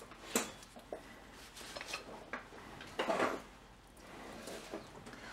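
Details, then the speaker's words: 2006 Infiniti M45 RWD, passenger-side front lower control arm levered by hand: loose hollow clunks and metal knocking where it should be firm; torn front bushing, alongside a bad ball joint. "however this one here look at this bushing here this is a front bushing can you hear that yeah it's not supposed to do that at all"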